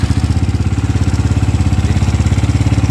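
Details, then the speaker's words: Five-year-old SYM VF3i single-cylinder idle, no gasket leaks or oil consumption: uneven ticking chatter on a loping idle about three beats a second from the cam chain, weak tensioner; fix is a manual or auto tensioner. "Okey, so kalau hampa dengar bunyi bahagian enjin yang ketek-ketek tu adalah antara bunyi rantai kecil."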